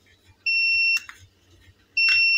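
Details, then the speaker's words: Tronic Alfa 800 W studio monoblock flash, after repair of erratic power calibration and output drop from a failed prior service; full power, fired by trigger with modeling lamp at full: sharp pop, then clean half-second beep about every 1.5 s. Normal firing and recharge. "Ya udah oke itu om suaranya kedengeran ya full powernya ini"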